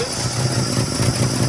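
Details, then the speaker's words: Old truck with a rebuilt Carter downdraft carburetor just installed, cold start at about 8 degrees outside on a little choke, fired first try; idles evenly with steady low beat and no stumbles; healthy cold start. "It's about 8 degrees outside right now. A little bit of choke, and she fired up on the first try."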